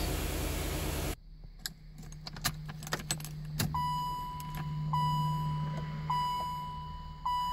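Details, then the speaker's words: 1987 Chevrolet Corvette C4 that sat 25 years, after reconnecting the fuel pump; the gas gauge still doesn't work. The engine catches and settles into a steady, even idle, with keys jingling and a chime beeping; normal idle. "It starts and idles great."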